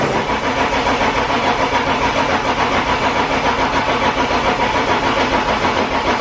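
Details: BMW E36 328i, 5-speed, abandoned over five years, with a new battery; steady starter cranking at about three and a half turns a second, never catching. Owner suspects a fuel problem.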